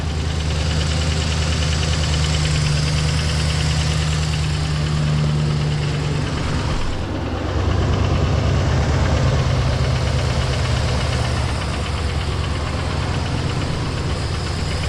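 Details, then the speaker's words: 2016 GMC Sierra 2500 6.0 V8 at idle: dull repeating knock about three beats a second under the rumble, suspected on side with previously broken header bolts and blown front cylinder; slight exhaust leak also present. "so I fixed all those and yeah I mean it's running good just has that darn knock"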